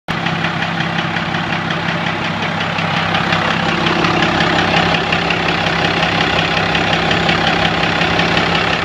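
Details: 1997 Dodge Cummins diesel at idle: a fairly regular knock of about three per second that started last week and is more evident walking around the truck. There is fuel in the oil but no metal shavings, and the lift pump seems good; the owner suspects injector knock.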